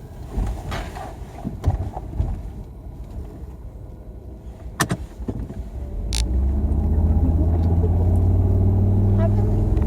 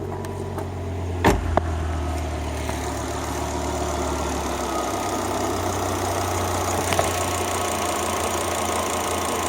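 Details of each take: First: Volvo XC90 T5 five-cylinder at idle, running rough, apparently on 4 of 5 cylinders: a low rumble with a steady lope about four times a second. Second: Volvo XC90 T5 five-cylinder at idle right after a failed ignition coil was replaced with an aftermarket coil: after a brief clatter it settles into a steady, even idle with no misses, the misfire gone.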